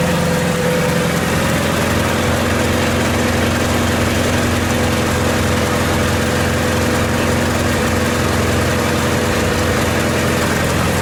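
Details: 1928 Farmall Regular tractor idling after carburetor tweaks, just started with timing advanced about halfway: steady, even low chug about two beats a second, no knocks, misses or rattles; clean, normal idle.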